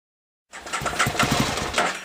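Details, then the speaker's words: 2003 Aprilia Tuono Fighter after a temporary fix to a corroded connector, fuel pump not priming at ignition-on: engine catches, then runs ragged and uneven, stumbling and sagging before dying; fuel starvation stall. "now the bit that's missing is the fuel pump isn't priming normally when you turn the ignition you can hear it Prime and it's not priming at all"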